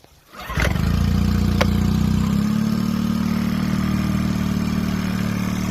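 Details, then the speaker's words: 2002 Mercury 9.9 hp four-stroke outboard after ultrasonic carburetor cleaning, float needle seated and idle and mixture readjusted: catches within a second, then a steady, even idle with no stumble. Normal start and idle. "needle seated and then I adjusted the idle and the mix again cuz I had the mix screw out and now it starts up real"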